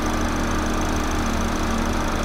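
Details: 2009 Chevy HHR 2.2L Ecotec flex-fuel, after fuel trim reset fixing incorrect alcohol-content reading (P0172, P0300, long crank): short, steady idle, even unbroken hum, no misses or stumbles; trims much improved; normal idle.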